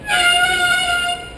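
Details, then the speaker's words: Bicycle front disc brake, pads contaminated by oil leaking down the fork onto the caliper; after Squeal Out treatment and flushing, braking power is good but a sharp, steady high-pitched squeal holds about a second as the brake bites; oil-contaminated pad squeal. "still a bit noisy. Our squeal is still with us, so we're going to go a little old school technique and see if we can help the situation."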